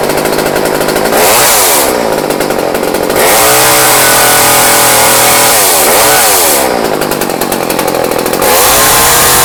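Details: Old Craftsman chainsaw after years sitting, with new fuel line, rebuilt carburetor kit and new fuel filter, restarted unchoked after running minutes earlier; snarls to full revs and drops cleanly to steady idle several times; running normally.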